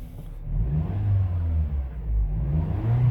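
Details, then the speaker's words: 2008 Acura RDX with 180,000 miles, after a very rough idle was fixed: quick, clean revs rising and falling smoothly with the throttle, no hesitation or stumble; no more shaking, responds normally. "the idle was super bad but now the car is just smooth you see it's not shaking at all nothing 180 000 miles"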